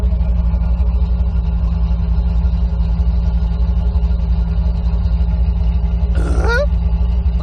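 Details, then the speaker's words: 1991 C4 Corvette V8 after new TPS and idle control valve, heard from the rear: low steady exhaust burble, even pulses with no miss or hunting, brief squeak over it; idles exactly as before, healthy. "She sounds like she's idling exactly the same as she used to. And from back here, she still sounds legit."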